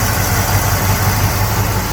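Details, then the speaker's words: 1979 Camaro Z28 V8, original survivor with 11,897 miles, startup on a damp morning: steady quiet idle with a faint light chirp from the belt near the A/C compressor; accessory belt noise, engine itself quiet. "get a little bit of belt noise here uh over off the compressor"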